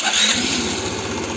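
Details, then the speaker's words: Arora Proxy R50 scooter after the throttle cable and idle adjustment: a quick, even putter, steady and settled with no hunting; it now idles correctly. "şu an çok güzel çalışıyor tam bu rölanti arkadaşlar bakın"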